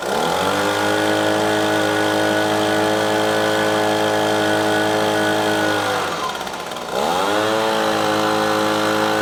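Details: Echo PB-250LN handheld two-stroke blower after fresh fuel and carburetor adjusting screw turned left: holds clean high revs, drops smoothly to idle, picks straight back up without bogging; running properly after repair.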